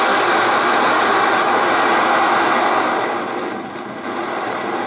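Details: Primus Omni Fuel multi-fuel stove, flame adjusted: steady hissing roar easing slightly lower as flame is turned down, smooth and even; healthy burner.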